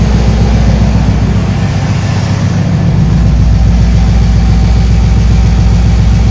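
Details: 1968 GMC V8 after an oil cooler was added to fix low idle oil pressure and high oil temps: a steady, even low rumble at idle with a regular beat and no knocks or ticks. Normal idle.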